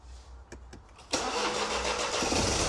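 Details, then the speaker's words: Salvage-auction BMW 218 convertible, long off the road, started briefly: starter whirr, then a busy idle with an uneven, stumbling beat that starts clearing, then goes rough again. A sensor was reportedly changed earlier over misfiring. "Yes. What? Oh, clearing. Rough again. Is that you revving or not? It's clearing."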